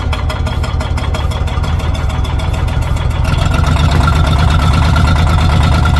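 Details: Old Caterpillar D6 dozer diesel around half throttle after fuel supply fixed, deep even firing picking up smoothly as throttle opens, no misses or knocks; normal running.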